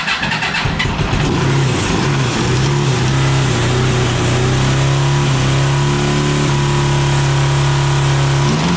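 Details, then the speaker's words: 1982 Honda CB750 DOHC four-cylinder cross kart engine, after coil change: loud, ragged, choppy running, misfire; header temperature check shows inner cylinders cool, outer hot, owner suspects bad ignition module. "so we hadn't learned a whole lot so the inner ones are still i can touch them so maybe a bad ignition module"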